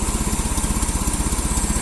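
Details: Old carbureted engine with a new battery, leaky water pump and wobbling alternator, warmed up after a cold start: strong, even exhaust pulses about twelve per second, no skips or rattles; clean idle, exhaust leak mostly fixed by a custom manifold gasket.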